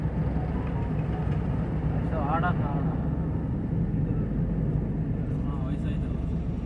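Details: Tata 1512 BS6 truck that died while driving and would not start, with no cluster lights; battery measured 12.4 V, and the cluster now lights: low, steady diesel rumble at an even idle, no stumbling or cutting out. It idles normally.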